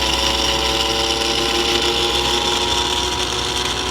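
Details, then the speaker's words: Vintage aircraft attitude-indicator gyroscope being powered up after fixing a bad diode connection: steady high whine with a rough, gritty edge as the rotor spins; owner suspects the bearings are making the noise. "I think the bearings are a bit making a lot of noise"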